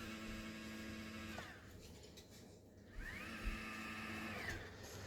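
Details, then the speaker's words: Celestron NexStar 4SE telescope mount after strip-down and repair of loud altitude and azimuth motor noise, run on a 12 V 2 A supply: quiet, steady motor whine ramping up, holding and winding down, no grinding or chatter; drive normal. "Um everything's running smoothly. I've actually used this telescope a few times outside and it's been running really nicely and everything's quiet."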